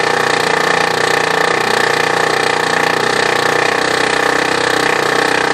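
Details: New replacement OKI Data MB480 printer, all safeguards off, no obstruction, showing errors and jams: harsh steady grinding with fast uneven chatter about four per second and whining tone; drive grinding, cause unknown.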